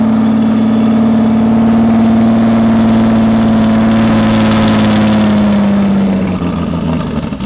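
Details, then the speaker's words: Mystery 2JZ project engine's first run with up-pipe fitted: revs climb, hold and fall evenly, harsh raspy exhaust note but no knocking; engine healthy. "that sounded great wasn't knocking no knocks"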